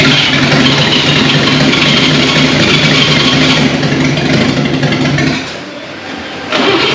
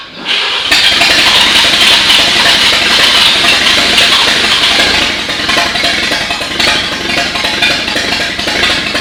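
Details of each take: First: 1939 GMC COE 4x4 cab-over six-cylinder, first start in 60 years: rough sputtering, firing on only two to four of six cylinders; later traced mainly to updraft carb fuel delivery and wet spark plugs. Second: 1939 GMC COE 4x4 six-cylinder after fixing fuel delivery from the updraft carb, wet plugs and minor valve adjustment: catches after brief crank and runs steady and even with no knocks or misses.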